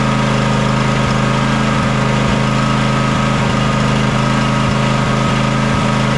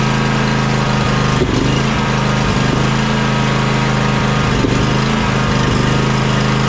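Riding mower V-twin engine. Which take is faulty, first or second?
first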